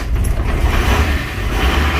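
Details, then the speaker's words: 1984 Nissan Patrol SD33 diesel, non-turbo, 24 V, cold start after sitting months: catches quickly after a short crank and settles into a deep, steady clatter with heavy smoke; healthy cold start. "Oh wow. I was sure that this one would have an issue because it had been sitting for a long time. This one's really smoky though. Like, she is a smelly truck. Dirty diesel, I think they call it. But it runs."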